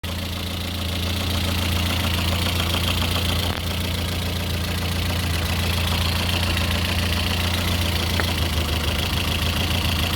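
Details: Lada Kalina 8-valve engine (11183) at steady idle, a light, roughly regular tapping about three to four per second over the engine hum; owner asks what is knocking, source unidentified.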